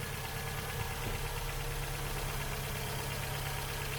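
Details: Ford Fiesta Duratec petrol engine running on only three cylinders with loss of power: uneven, stumbling idle with irregular low chuff and a missing beat; dead cylinder traced to a failed ignition coil pack, replaced.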